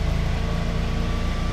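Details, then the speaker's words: Generac 24 kW standby generator, test with utility power cut at the meter: starts by itself, then a deep, steady drone with an even low throb settling into a smooth run; normal automatic start and run. "It's starting up now, so that started"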